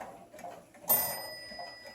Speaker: here is the bell that is used on the half hour